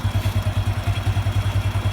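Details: Honda Revo 110 (old Revo "jangkrik") single-cylinder at idle after revving: quick, slightly uneven thump with light clatter, comes and goes; owner unsure whether clutch or loose primary, found loose clutch bell knocking at idle.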